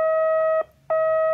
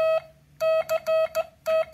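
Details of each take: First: Homebuilt multivibrator Morse practice oscillator with an RC filter rounding the square wave: a clean, steady mid-pitched sidetone keyed on and off, soft and even with no squeak, unlike a 555-based practice key. Smooth sidetone. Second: MFJ 557 Morse practice key using a 555 timer: keyed tone around 650 Hz with a buzzy, squeaky edge on every dot and dash; harsh unfiltered square-wave sidetone, no smoothing of the signal.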